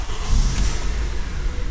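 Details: Acura TSX after a battery replacement (it would not start on the old battery): engine catches at once and settles into a steady, even low rumble with no labouring crank; normal start.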